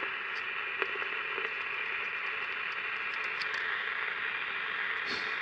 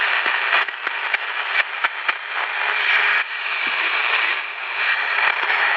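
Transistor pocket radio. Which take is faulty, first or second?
first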